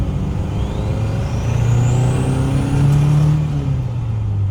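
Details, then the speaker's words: 1979 Mercury Capri Turbo RS, 4-cylinder turbo, 140 hp, back on the road after 23 years: rising turbo spool whistle then revs flatten as if hitting a wall; hesitation under boost, owner suspects carburetor fuel delivery. "because you can you hear it spool, and then the fuel is like not there. It's like it hits a wall, and all of a sudden it's like, oh, I'm supposed to be going."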